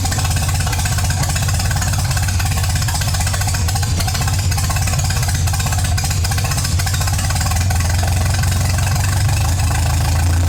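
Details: MGA 1600 roadster four-cylinder under restoration, freshly started on choke with only a couple gallons of fuel after cooling system work (new 4 PSI cap): smooth, even idle, steady low hum, no knocks or misses; healthy.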